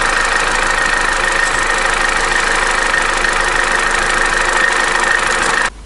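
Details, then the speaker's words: Opel Corsa D, A14XER 1.4 petrol, 65,000 km, codes P0011/P0014, cold idle: fast uneven clatter around three per second, loudest at front of engine; Twinport flaps ruled out, low oil pressure suspected, timing chain later found loose, needs replacing. "система twinport здесь ни при чём дело не в заслонка стучит где-то вот с этой стороны такое ощущение что недостаточное давление масла"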